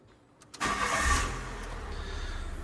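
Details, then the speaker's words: Fiat 500 Sport automatic with unresolved transmission/actuator fault: short crank, engine catches at once, flares briefly and settles to smooth even idle; starts and goes into gear but transmission fault warning returns, owner unsure if actuator is the cause. "Just really, really baffled at the minute. Don't get me wrong, it still starts and it still goes."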